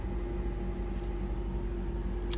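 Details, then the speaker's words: 2008 Honda CR-V at idle after replacing the alternator, belt and PCV valve, no battery light so charging properly: smooth, even idle with a faint steady hum and no squeal, knock or belt chirp; healthy. "I just got to reset the radio and that's it it's running good"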